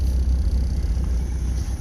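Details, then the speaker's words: Small old French car, long unstarted, with bad gas: steady low, deep rumble holding a fast idle around 1700 rpm without choke; runs fairly even, but idle stays high. "it's got bad gas like a tell don't lady idle down area idling at 1700 without no choke"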